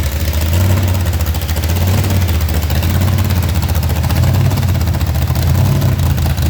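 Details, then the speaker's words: Blower-supercharged V8 burnout car checked for damage after a burnout event, torque converter bolts being checked: deep, steady lumpy idle with an even beat, no hunting or blower surge; idle dialed in, maybe slightly high, healthy. "That sounded really, really good. Man, his idle is just dialed in. Could probably turn it down just a skosh, but we don't have a whole lot of blower surge or none of that jazz."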